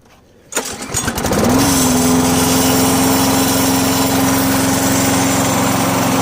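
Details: 17-year-old lawn mower after repairs, including a new fuel filter, pre-filter and fuel shutoff valve: it catches after a couple of pulls and settles into a steady, even hum with no misses or surging. Normal running.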